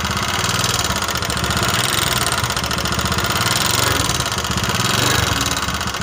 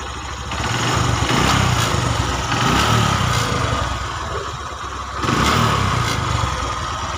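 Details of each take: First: Honda Megapro New 150cc, smoking, weak, thirsty and leaking, before teardown: rough, uneven idle with harsh clattering rattle over the engine beat, said to worsen as it gets hot; worn piston, cylinder and valve guides. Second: Honda Megapro 150cc single, previously rough, smoky and weak, after a top-end-only repair from the cylinder block up with machining. Smooth, even idle with a steady beat and no knocks; no smoke or plug fouling now. Normal idle.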